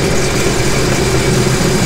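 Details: 2017 Sea-Doo GTR 230, after an earlier P0201 injector fault and misfire on cylinder 3 was repaired and the codes cleared: about 5 seconds of running without water connected. Smooth, steady low drone with no misses; normal running, no faults read.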